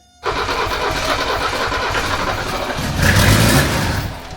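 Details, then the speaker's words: 1978 Mercedes 300CD with swapped-in 1984 OM617 turbo diesel and updated injection pump: steady cranking on a hot-running starter, brief rise in effort but no start; fuel shutoff or pump advance suspected, next try planned with the shutoff unhooked. "I'm wondering if this pump isn't advanced enough, not pushing enough I'm fuel. wondering if it's this the shut off, whatever's supposed to shut it off, the fuel. We'll try with it unhooked."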